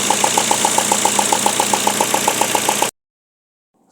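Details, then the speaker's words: Peugeot engine, sharp regular ticking about four times a second over steady idle, loud "tac tac" from one corner; cause was loose spark plugs, fixed by tightening to specified torque, after which idle is silent. "carro tava com uma batida de bem aqui nesse canto aqui ó vocês vão ver no primeiro vídeo aí é um defeito que deixa até mesmo o dono em casa louco e o defeito vocês não vão acreditar era somente velas mal apertadas"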